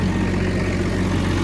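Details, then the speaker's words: Case CS 150 tractor: deep, steady diesel rumble with an even beat and no knocks or misses; running sweet, healthy idle. "Running sweet."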